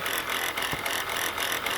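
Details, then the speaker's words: Chrysler Pacifica (2004–2008 era) idling, noise under hood: rough rapid high-pitched metallic rattle and chatter; alternator bearing suspected shot, brown residue around and pulley bouncing, not confirmed; rattling noise under hood. "all right guys from the looks of this and the sound of this look like the alternator bearing is shot"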